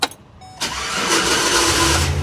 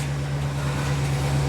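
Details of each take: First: 2008 GMC Savana shop van during cranking: harsh metallic grinding rasps before the engine catches, pointing to a bad starter, which is then replaced. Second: 2008 GMC Savana van at idle after a starter replacement that cured a grinding noise on starting: smooth, even low hum with no grinding or catching; normal idle.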